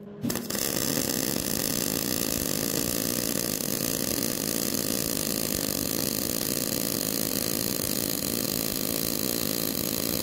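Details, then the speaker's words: MIG welder at wire feed speed 70 with voltage and 20 cfh gas unchanged: a steady, even arc crackle for about fifteen seconds with little popping, smoother than at 60; wire feed well matched. "you guys should notice a drastic change in the sound of it instead of the popping a lot it should start smoothing out"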